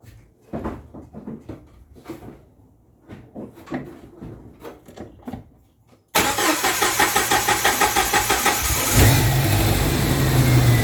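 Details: 1995 Jeep Wrangler YJ 2.5L four-cylinder, first start after installing new fuel injectors: quiet clatter, then it catches at once and settles into a steady, even idle with no misfire or tick; check engine light went off, no leaks.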